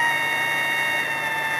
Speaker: so that's what you're hearing is the amount of time that it's switching on and off in a given amount of time so this is a slow frequency